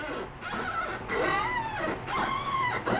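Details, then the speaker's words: Retired Cub Cadet lawn tractor with front wheels wearing unevenly, rolled: squeaky, wavering creaks rise and fall with the wheel; the dry plastic front wheel bushings are starved for grease and possibly worn enough to need redoing. "that sounds a little dry so those uh those plastic bushings in there s seem like U they are starving for grease"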